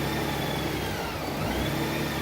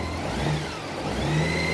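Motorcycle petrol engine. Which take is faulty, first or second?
first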